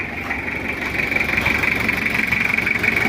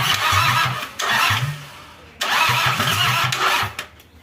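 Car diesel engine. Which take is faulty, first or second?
second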